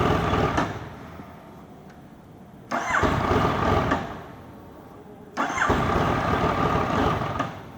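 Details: Yamaha MT-09 hard to start hot after a 30-minute ride; three separate bursts of starter cranking, each fading without the engine catching; hot hard start, cause not yet found.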